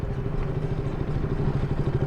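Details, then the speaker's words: KTM Duke 200 BS4 single: rapid metallic tapping over the idle that starts only once the engine is warm, "like a tractor"; a cam chain tensioner (adjuster) rattle from a slack cam chain. "ट्याक ट्याक ट्याक आवाज जान्छ भने a ओहो सुरुमा चाहिँ हान्दैन अलिकति के कतिखेर चाहिँ हान्छु भने बाइक अब अ त्यो अब अलिकति स्टार्ट भएर तातो भएपछि ट्याक ट्याक ट्याक ट्याक ट्याक हान्छ के ट्याक्टर बजे जस्तै"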